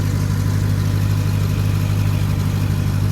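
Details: Salvage-auction vehicle with an oil catch can; everything under the hood looked in order. Deep, even V8 rumble at idle with a smooth steady beat and no knocks or ticks; healthy idle.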